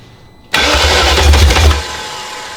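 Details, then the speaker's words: Replacement E38 engine, first start attempt on a weak, cycling jump pack, oil pressure and fuel present: catches and runs rough about a second, then dies back to cranking; fires but won't keep running, suspected insufficient jump-pack power. "Okay, so our jump pack is very cycly on off, and I don't think it's got enough juice in it just to hold it on for a while, which might be what this engine needs. But we heard it fire and everything, so nothing EWS."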